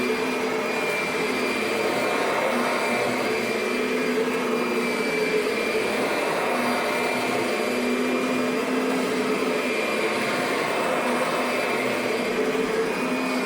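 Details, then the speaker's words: 2009 Kirby Sentria upright vacuum running; steady high motor whine with a rough scratchy hiss and no speed change, something suspected rubbing inside; rubbing noise while running, cause not confirmed. "All right. Not sure what that sound like. Something's rubbing in there."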